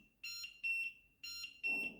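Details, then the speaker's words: LED digital large wall clock (about 70 x 16 cm) alarm A1 sounding from its built-in speaker after a 1-minute wait: loud, shrill high double beeps about one pair per second in a quiet room; working normally. "I think the sound is very loud. Definitely you will hear the sound."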